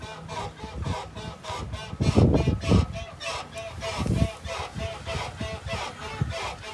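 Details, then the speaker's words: Lowered 2004 Chevrolet Astro, rear bounced with a person's weight: rhythmic squeaks rise and fall with each bounce. The cause is traced to the brand-new leaf spring bushings and the top of the shackle; they need tightening or loosening and lubrication. "leaf spring leaf spring bushings that are brand new yep so we need to either tighten or loosen yep and lubby Lobby"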